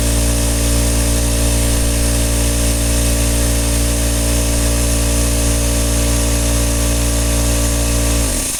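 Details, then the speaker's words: Craftsman air compressor model 919153131 after repair with a KK-4835 kit. A loud, steady motor drone holds an even pitch while building pressure beyond the point where it previously stalled, then winds down cleanly. Normal pumping. "now before it would not up much pass where it is now and it will keep running"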